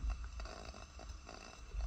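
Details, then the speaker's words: Coleman-style pressure lantern with the valve cracked open to demonstrate normal generator spitting; a reference lantern, not the one being repaired: short soft irregular sputtering puffs, which means the lantern is working properly. "I just wanted to give you guys a good sound clip of what spitting should sound like on a lantern and basically that's what you're listening for"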